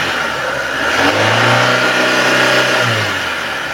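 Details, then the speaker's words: 2002 Hyundai Atoz GLX: the engine is revved from idle to high rpm, climbs quickly to an even pitch and drops back smoothly with no knocks or rattles; no signs of piston, ring or bearing wear; normal revving. "suaranya RPM tinggi itu masih oke aman tidak ada ciri-ciri mobil mesinnya itu harus turun mesin saya rasa ini masih normal normal aja mesinnya masih cukup halus"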